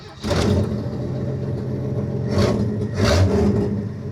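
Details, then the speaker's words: 1948 Chevy, loud exhaust, first start after repair following a breakdown: engine catches at once, revs up loud and open, then settles and blips cleanly; normal start-up. "Well, she fired up lovely."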